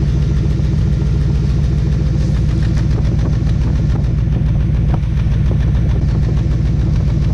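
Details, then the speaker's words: LT1 V8 Trans Am daily driver idling, heard at the exhaust with an uneven, lumpy beat: one cylinder dropping out, running on seven cylinders; misfire to be traced with noid light, spark tester, stethoscope, compression test. "that's a misfire right there so we're gonna go to the engine and troubleshooting"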